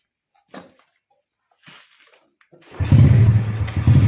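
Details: Yamaha Jupiter Z motorbike converted from a manual clutch back to the standard automatic double clutch. The engine starts and picks up to a steady drone in gear; the clutch area sounds smooth, with no slipping or chatter, and engages normally.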